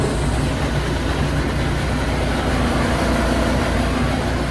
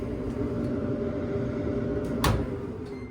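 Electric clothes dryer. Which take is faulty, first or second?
first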